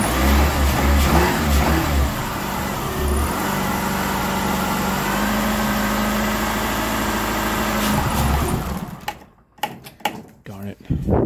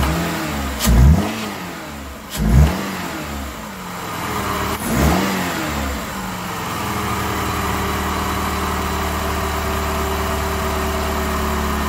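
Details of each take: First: Chrysler PT Cruiser towed in with crank no start, starting fluid sprayed into intake: catches briefly, runs rough several seconds, then dies; crank sensor and ignition work, fuel supply missing, fuel pump next to check. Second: PT Cruiser towed in with crank no start, fuel system primed, airbox off, intake air temperature sensor unplugged: catches after a few cranks, revs briefly, then settles to a steady even idle with no misses or knocks; normal running.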